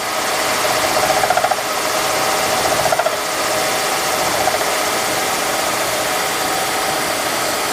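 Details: Milling machine hand-feeding a 3/4-inch-wide, 6-inch-diameter cutter with a new outboard support and a close-tolerance bushing added for rigidity. An even hissing cut with light, intermittent tooth chatter and no heavy pounding: a normal cut.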